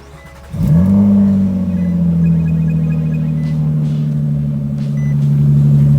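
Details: Nissan Altima coupe VQ35DE just after valve cover replacement for oil in the spark plug wells, throttle body cleaned: engine catches at once, flares briefly then settles into a smooth, even idle with no misses or hunting.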